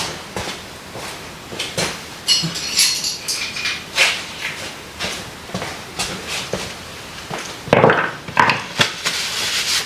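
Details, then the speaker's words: Quad stored outside over a wet winter: irregular gritty crunches and metallic clatter in uneven bursts from a rusted, dry drive chain that needs replacing. "I don't know if that shows up on the camera thing, but it sounds bad. Crunchy crunchies."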